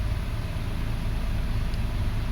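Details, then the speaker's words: 2005 Toyota Passo on its original ECU after fixing the bad ground that starved its ignition coils and caused no-start; low, even idle hum, steady beat, no stumble or misfire; normal idle. "I'm going to start it. Oh, and this is the original ECU too. Okay, running well. Engine is smooth."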